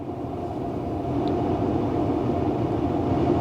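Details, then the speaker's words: 2013 Tesla Model S P85 blower after blower resistor and DC/DC converter replacement, fan turned up with heater blasting heat: even rushing airflow building slightly as speed rises, no rattles or squeaks; blower healthy. "Yeah, good Lord have mercy. Yeah, that thing is blasting heat."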